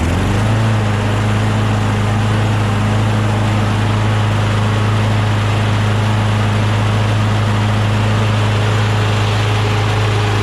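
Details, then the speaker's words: John Deere JS26 self-propelled bagger mower with a Briggs Quantum engine, out of storage after its carburetor bowl held sticky gelled gas. Leftover water likely sat in the intake until carb spray ignited and blew moisture out the muffler. Now a steady, smooth drone with no stumbling: normal running. "then once we shot some lube in there um some carb spray in there it ignited eventually right and then the combustion blew the remaining moisture out the muffler so now it should be good"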